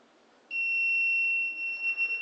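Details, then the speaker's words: Wireless gas leak detector receiver: sudden, steady, high-pitched continuous tone. The alarm sounds because the sensor has detected petrol vapour held close to it. "so you can see I hear the sound that it has detected the leakage of a petrol"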